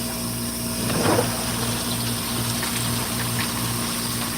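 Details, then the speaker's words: Hoshizaki ice machine in extended harvest after repair: steady pump hum with water gushing and splashing as it washes leftover ice off the chill plate so it cannot refreeze and cause a freeze-up; normal harvest water flow. "the extended Harvest kicked in that's the pump washing all that ice off the chill plate"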